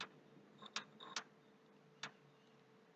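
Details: PS3 console, hard drive already formatted, very slow to boot and restart: sharp, uneven clicks near the HD, a few in quick succession then single ones about a second apart over a quiet hiss; noise stops and returns, cause unknown, struggling hard drive.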